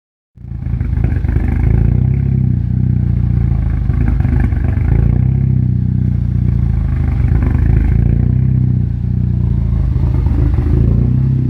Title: Rough idle